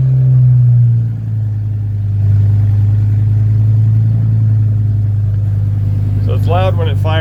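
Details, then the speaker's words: 1965 Ford C850 truck with added automatic and overdrive, cold after sitting about a week: loud steady low rumble settling after a brief dip into an even fast idle, nothing knocking; normal cold-start warm-up. "when it fires up and goes through the warm-up cycle. It rigidens it up, obviously, because it's cold."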